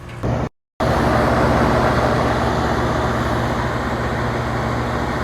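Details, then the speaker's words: 40-year-old Carrier Weathermaker rooftop unit cooling on a mild rainy day after a defective transformer was replaced; gauges show 36–38°F indoor coil, about 200 PSI head pressure at about 70°F; steady even hum with constant fan rush, no knocks or squeals, running great. "It wasn't overly hot cuz today it's rainy and kind of mild, but this unit's running great."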